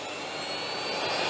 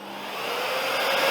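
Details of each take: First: Zelmer Odyssey 1700W vacuum cleaner with a faulty variable speed control, 240 V confirmed at the switch: a high motor whine swells to full speed, holds, then winds down; the motor only runs in the top quarter of the slider travel. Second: Zelmer Odyssey 1700W vacuum cleaner after repairing the variable speed control, with the minimum setting adjusted: the motor whine climbs smoothly from slowest to full speed without surging or cutting out. It now works properly.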